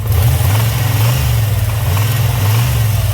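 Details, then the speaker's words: 1995 Camaro Z28, 5.7 V8, six-speed, with low oil pressure: a deep engine revs and a loose rap comes through near the top of each rev; worn rod bearing with too much play, banging around, needing an overhaul. "that's that's too much play in one of the rods It's banging around"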